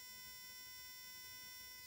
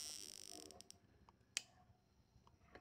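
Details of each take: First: VW Beetle misfiring in second gear at low rpm; spark plugs on a bench tester at maximum rate: quiet, steady high-pitched buzz of plugs firing rapidly and evenly, a normal spark, both plugs passing the test. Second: VW Fusca (Beetle) misfiring in second gear at low rpm: sharp irregular snapping clicks. The plug leaks current and sparks at its base insulator, worsening and arcing elsewhere. Spark plug insulator leakage arcing.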